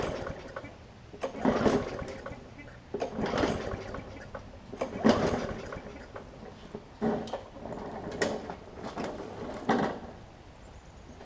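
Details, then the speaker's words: Newer Murray push mower with water in the gas tank and oil contaminated with water, started on concrete after carb cleaner: irregular weak coughs every couple of seconds with quiet gaps, water coming out of exhaust; sputtering on water-contaminated fuel. "literally water coming out of the exhaust it's pretty bad really bad actually so we're pretty much got straight water in the gas tank here"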